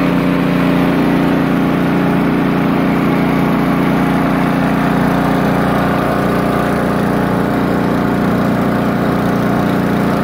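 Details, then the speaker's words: Poulan Pro snowblower small engine after idle-surging repair: steady, even idle with no hunting or surging throughout. Running much smoother. "i'd test it a little bit it seemed to be running much more smoother i'll show it to you after i put it back together much better"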